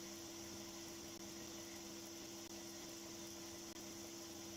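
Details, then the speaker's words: Motor driving a newly built scaled-up six-segment array rotor on a test run: quiet steady hum with a faint constant tone, no knocking or vibration, running smoothly, though the rubber band drive was slipping off. "as you can hear it's just quite as a mouse no vibration at all"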